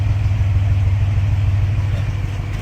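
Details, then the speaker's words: L36 naturally aspirated 3800 Series II V6 in Monte Carlo, first start after revamp, recorded at tailpipe in a corner that deepens bass; deep even idle rumble, no misses or ticks — normal idle exhaust rumble. "The bass is a little bit deeper because it's in that corner over here, but that's usually what it sounds like, a little small rumble."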